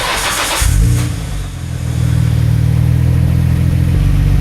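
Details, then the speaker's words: 1991 Nissan Skyline GT-R RB26 cold start after fitting stainless Blitz downpipe (front pipe) and Kakimoto resonator test pipe (cat delete): catches at once, deep steady even idle, no misfires or exhaust rattles; pretty quiet, normal. "pretty quiet with that Kakimoto resonator pipe. Let's give it a couple revs."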